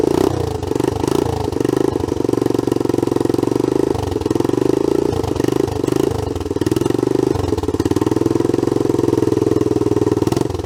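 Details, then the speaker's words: Old Honda CT110 Trail postie bike, rusty, left in a garden, first start before carb removal: single cylinder thumping unevenly at fast idle with a sharp puffing blow on each firing pulse; exhaust leak, needs work. "it you can hear the exhaust blowing I think we've got some work to do"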